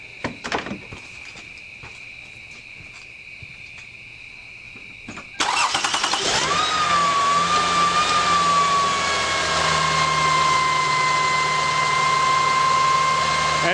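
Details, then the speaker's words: 2005 Lexus ES330 3.3L V6 at startup: the engine cranks and catches, then a steady high-pitched whine holds over the idle from failing alternator bearings; still charging, alternator replaced. "the problem I'm having is the alternator last night the bearings started going on my way home"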